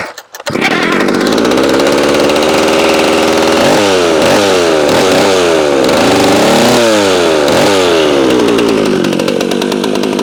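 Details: McCulloch SP-125 chainsaw with .028 jet (two sizes down), full tank, cutting: high steady scream with repeated sagging-and-recovering dips under load; possibly slightly lean.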